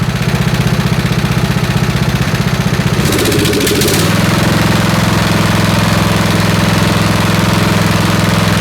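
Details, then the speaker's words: Snapper SR-Series 10HP Briggs & Stratton, stored 10 years, on an aftermarket Amazon carburetor being tuned. It idles with an uneven, stumbling beat, skipping firing pulses and missing from the exhaust side, thought lean. "all right so you see what's happening right it's still it's still missing from the exhaust side and that's probably lean although i don't smell it as lea"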